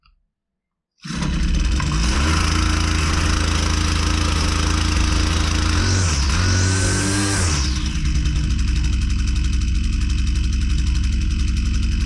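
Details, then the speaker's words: Husqvarna 122C two-stroke string trimmer, customer complaint of not running right, with air filter and cylinder found good: it drones unevenly while revs sag and surge, poor running from a carburetor out of adjustment before mixture tuning. "like doesn't run very well at all does"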